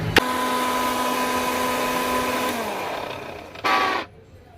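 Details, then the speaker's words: Mixer grinder after repair of the jar: a switch click, then a steady, even motor hum that winds down smoothly, running normally after the jar's bush was tightened; earlier the jar caused noisy, wobbly blade running. "यह देखो मेरा mixer बिल्कुल मस्त चल रहा है और बिल्कुल अच्छे से ठीक हो गया है"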